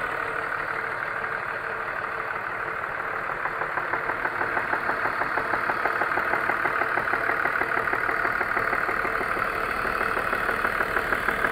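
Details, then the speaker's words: BMW E39 with M54 engine at idle, oil seeping from valve cover: steady idle with a sharp regular tick-knock about three per second; owner suspects it comes from around cylinder three. "Стук откуда-то от третьего цилиндра, что ли, блядь."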